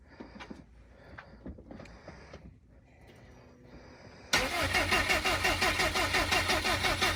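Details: Freshly built 1000 hp turbocharged engine, first start attempt: after a quiet pause the starter cranks steadily at about three turns a second but it never fires; cause not confirmed.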